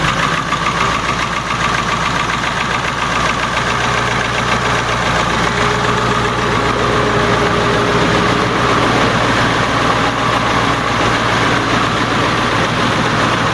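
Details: 7.3 diesel swapped in for a 6.9 IDI on a 1989 International S1600, cold start in 30s°F after glow plugs, fuel diesel mixed with ATF: settles to steady even idle, low rumble, light clatter, no misses; healthy.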